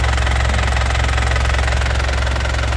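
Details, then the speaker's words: 2007 Isuzu Panther LS Turbo diesel idling: steady, even crisp clatter with firm low rumble, no ticking or rough sound, stable vibration, no smoke; injector pump still sealed, engine healthy. "Suara mesin sehat seperti ini, Lur. Stabil, renyah ya. Itu enggak ada suara tek tek tek tek. Suara kasar enggak ada."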